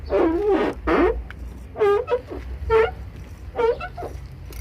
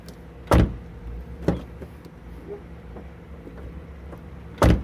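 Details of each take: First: VW Gol G5 car door, the side with the louder noise, before grease is applied. Five or six loud rising-and-falling creaks, about one a second, as the door swings: door hinge squeak. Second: VW Gol G5 car door after greasing and lubricating the hinge and door parts to cure a loud noise; door swings open and shuts with clean solid thumps, no squeak or creak, normal door operation.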